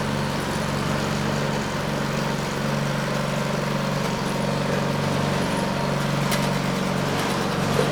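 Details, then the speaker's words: Neglected Craftsman snow blower 247.889571, choke on and primed, belt cover off, drive cable pulled to engage friction disc: steady, even engine drone, no knocks or misses, pulls smoothly under drive load; engine, drive and auger good. "nice well it's hard to believe it but this is a viable machine all the major systems are working you know the engine's good the drive systems good and the augur is good"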